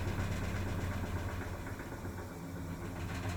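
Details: Maytag MVWP575GW commercial washer in the service/diagnostic menu, after motor, belt, drive clutch pulley, actuator and control board were replaced. Steady low hum, smooth draining and spinning with no knocking; the clicking occurs only at agitate.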